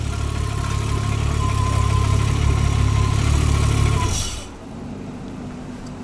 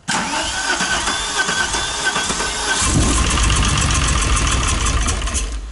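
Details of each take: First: VW Golf 3 VR6 Turbo, almost 500 hp, on its first test run after engine assembly. A deep, steady idle holds evenly for about four seconds with no misses or knocks before shutoff, so the idle is normal. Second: VW Golf 3 VR6 Turbo, almost 500 hp, on its first start after the engine was assembled. Starter whirr, then it catches into a loud, uneven, lumpy idle with an irregular beat, so it runs rough after start.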